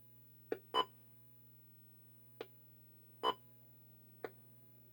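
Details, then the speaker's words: Venture Line Break Away arcade PCB audio test through cheap computer speakers: wall bounce sounds fine, but brick and paddle hits give dull dead thuds; owner suspects a faulty sound circuit needing a missing 962 chip — wrong game sound effects. "the sound's working but when it hits the brick or the paddles it makes a dud noise a thud you know a dead type noise it's not right"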